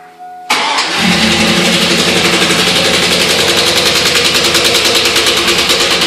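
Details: 2002 Chevy Silverado 5.3 L V8 at start and rev: fast, heavy, regular deep bottom-end knock loud over idle; not a lifter, owner suspects a broken rod or wrist pin, plans a salvage engine swap.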